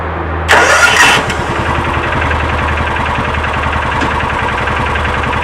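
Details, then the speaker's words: 2000 John Deere 4X2 Gator, hot restart after a ride, following ignition coil replacement: brief cranking, then it catches right away and settles into a steady, even idle with no sputter. Normal hot restart; a bad coil looks to have been the cause. "y'all saw it i was i was holding my breath but that was um so indeed it does look like that a bad coil was our problem"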